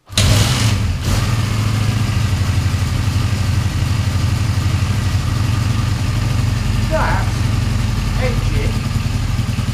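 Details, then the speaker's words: Honda Benley motorcycle single idling after about 4 or more years unused, throttle untouched: steady, low, even putter without ticking or rattle; slightly woolly, owner blames the carb not being cleaned properly; exhaust welded but not blowing; normal idle. "not rattling at all. Well, this hasn't been run for, I think, 4 or more years. It's a bit woolly. That's probably because the carb isn't cleaned out properly."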